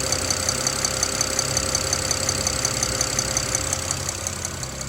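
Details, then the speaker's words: BMW N54 idling with a sharp, even, high tick about three times a second over a steady hum, heard only from one side of the engine; source unidentified. "вот это вот тиканье. Вот откуда-то отсюда."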